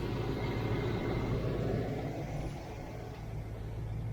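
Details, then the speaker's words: 1993 Range Rover LSE V8 at warm idle after an oil change: deep even rumble with no tappet ticking, after several tappets were noisy when cold and new oil had circulated. "It's sounds great now. Look, not a tap"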